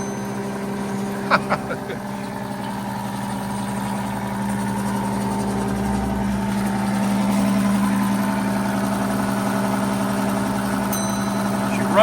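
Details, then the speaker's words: 90-year-old rebuilt Gilbarco GMB 80 gas pump running and pumping fuel. Smooth, even motor hum at a steady pitch with no knocks or grinding; it runs quite smoothly and is fully operational after the rebuild. "She runs quite smoothly after 90 years. Success."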